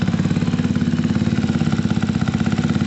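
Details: Gilera DNA 125 with a replacement carburettor, first start attempt after the carb and fuel work: a small single holds a steady even putter with a regular firing beat, no misfires or hunting. Runs properly.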